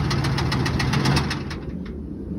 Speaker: This is going to be a 2001 Ford F-150. Has the key to it. Started up with a jump. Hear the knock in it.